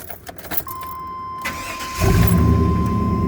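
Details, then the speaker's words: 1996 Chevy Tahoe after two days of hard cold rain, distributor cap and rotor replaced (previously wouldn't start when wet, needed drying): short crank, catches within a second, settles into steady even idle; normal start after repair. "star right up start right up perfect"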